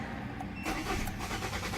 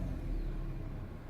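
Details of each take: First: 2013 Kia Cerato YD 1.8 automatic: starter cranks the engine at a steady rhythm but it never catches; scan tool reported relays working but no fuel, traced to a failed fuel pump relay; crank no-start. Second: 2013 Kia Cerato YD 1.8 automatic after replacing the failed part with a new one: fuel pump heard priming, then the engine starts readily and idles with a steady, even low rumble, no misses or knocks; normal running after repair.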